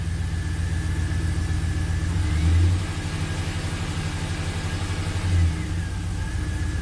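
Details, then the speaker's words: 2004 Pontiac GTO 5.7 LS1 V8, 6-speed manual, 34,000 miles, at a lumpy, uneven idle that stumbles on blips. Misfires are counting on cylinders 1 and 8. "So let's start it up, see what it does. It's definitely misfiring. 1/8's counting up."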